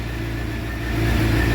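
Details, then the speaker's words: Crashed Suzuki GSX-R750 K7 track bike, first start after sitting a long time, rebuilt with new exhaust silencer (baffle fitted); started on the button, smooth even four-cylinder idle purring with no ticks or knocks, still warming up, FI light on. Normal idle. "on the button perring like a kitten that's not bad considering she sat up for so long"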